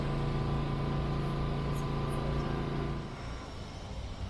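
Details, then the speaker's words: Honda EU2200i inverter generator in eco mode as the camper air conditioner is switched off: a steady loaded drone that drops lower and quieter after about three seconds, a normal eco-mode idle-down that saves fuel. "And the Eco mode on that little generator, you can see it idle. That's where your fuel savings come in, because if you're not using all of the power, it powers down."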